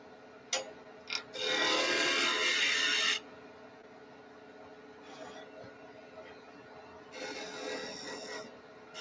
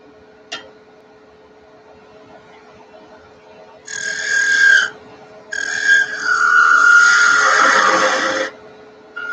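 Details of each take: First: Wood lathe spinning at 2300 rpm turning spindle tops: steady high-speed hum with bursts of rasping as the gouge bites; runs smooth and even. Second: Woodturning on the lathe: a high, steady squeak comes in bursts during the cut as the thin workpiece flexes and the gouge rides up off the bevel, so switching to a smaller 3/8 detail gouge.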